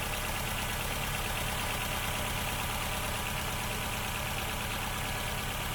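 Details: Ford Fiesta Duratec petrol engine with loss of power, running on only three cylinders: uneven, lumpy idle with an irregular stumble; misfire caused by a faulty ignition coil pack, which is replaced.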